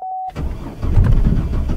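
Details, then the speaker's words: $500 car after fuel pump, fuel tank and blown fuse replacement, key on with fuel pump humming: short chime, then starter cranks steadily over a second but engine never catches; crank no start, started on the next try. "Okay, well the starter worked, the fuel pumps going, let's try this one more time and see what happens"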